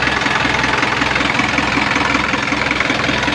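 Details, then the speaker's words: Isuzu 4HF1 diesel in a reefer truck, running for a while during fridge testing: idles with a steady rough chuff and hissy pulse about 2.5 per second, heavy smoky crankcase blowby. "grabe lakas ng blue bay ayan oh meron akong mausok"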